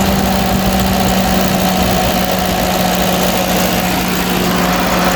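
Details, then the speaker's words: Ferguson TO20 tractor that sat for years, running after ignition points work gave much better spark, PTO engaged, governor sticking slightly: steady, even idle with a constant low drone and no misses or knocks; normal running. "Bo that thing running good y'all don't try this at home Governor W to stick a little listen that thing goodness woo woo that's awesome"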